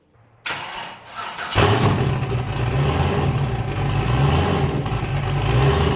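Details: Boosted car "James Brown", new cam, started after a 23 psi run blew a coupler off, before warm-up and two-step test: fires up and settles into a deep, uneven, choppy lope, running clean. Normal lumpy cam idle.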